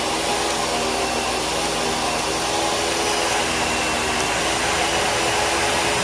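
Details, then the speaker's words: Bissell vacuum, model U5140900 from 2012, needing a belt: a loud, rough, airy roar with a gritty rattle under the motor hum; the brush roll is noisy but still turns and just needs cleaning. "and the brush will make some noise as you can hear but it's definitely functional just needs a little bit of a cleanup and it'll be fine"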